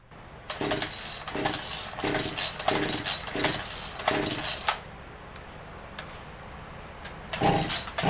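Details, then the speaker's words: Craftsman 18-inch chainsaw with fresh fuel, good spark and compression but flooding, choked: about seven ragged pull-cord cranking bursts with no pop or firing; a sheared flywheel key had thrown the ignition timing off. "another 10 pulls didn't clear to start it didn't burp pop"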